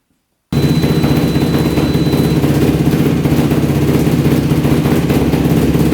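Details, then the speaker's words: Modified Yamaha YFZ450 race quad, fresh oil, first start on a jump pack with choke: steady four-stroke idle, even pulses about four per second, no stumbling; struggled to idle, pilot thought slightly rich, fixed by raising idle and turning in the fuel screw. "all right there we go that sounds better so it looks like um we're probably just a little bit rich in the pilot that's why it's having a hard time idling"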